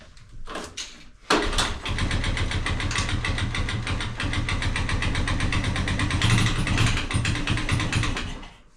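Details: 1983 Honda ATC 185s after stator replacement restored spark: pulled with choke on and fuel on, it fires after a couple of pulls and settles into a steady, even single-cylinder thump at idle. It starts and runs healthy.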